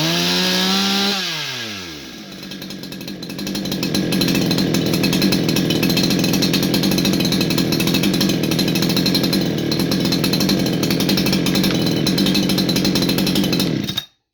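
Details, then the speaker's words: Holzforma G288 88cc chainsaw (Husqvarna 288 copy), 24" bar, new; air leak from improperly seated oil pump/crank seal on clutch side fixed: strong steady high-revving drone after brief rev-down, even and clean. "as you can hear guys this whole saw runs quite nice had a bit of a rough start there was a small air leak due to improper seating on the automatic oiling pump on this side of the saw"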